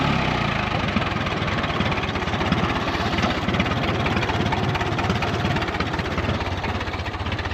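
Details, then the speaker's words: 1936 Allis Chalmers WC tractor barn find, first drive in decades, water spilling from the radiator: a low, steady idle with an even thump-thump pulse and no knocks or misses; the engine purrs and sounds good. "Man, listen to that thing purr."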